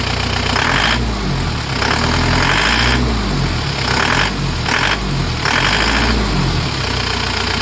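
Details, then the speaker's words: Isuzu Panther New Hi Grade (Kotak) diesel, radiator topped up with coolant: steady diesel clatter with even rhythm, some splashing in the background; normal idle, owner notes diesel sounds noisy but runs fine. "Pada prinsipnya ngerawat diesel itu simple ya, simple, tenaganya kuat AC-nya dingin, ya hanya karena suaranya mungkin orang merasa berisik, kayak murahan."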